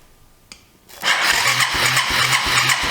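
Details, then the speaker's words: Yamaha 250cc ATV (Timberwolf/Bear Tracker) that sat for a couple of years cranks steadily at about three turns a second without firing; it has oil and spark, but the spark is very weak, possibly a grounding or key-switch issue. "motor sounds good though it's got oil in it it's got a spark but it's real weak"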